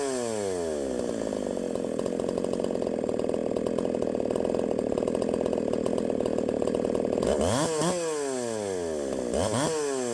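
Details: 372XP clone chainsaw at full throttle in a cut: screaming with popping noise up top from over-advanced ignition timing (advanced one full key, key removed); some advance to be taken out.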